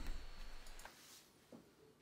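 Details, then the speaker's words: IBM 5155 power supply with only an old MFM hard drive as load: a brief rumble and a couple of drive clicks, then near silence as the supply shuts down from insufficient load. It starts once more drives are added. "see it doesn't so you can hear the hard drive clicking but it immediately shuts down again"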